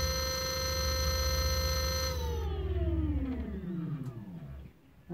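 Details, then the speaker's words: Bafang 500 W 48 V geared hub motor from 20" fat-tyre ebike, electrical part run alone after lubricating: steady, even hum at speed with no scraping or clicking, then smooth falling pitch as it coasts down; healthy, coils not burnt. "so I'll try starting that up see here we go the K s sounds fairly smooth"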